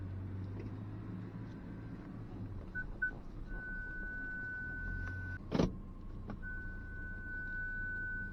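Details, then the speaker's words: 2023 Ford Ranger Tremor on an off-road trail: a steady high-pitched tone in two long stretches over the quiet idling truck; the parking sensors are reacting to nearby branches, a proximity warning and not a fault. "hear that pinging it's just picking up those branches and stuff which I will turn off for now"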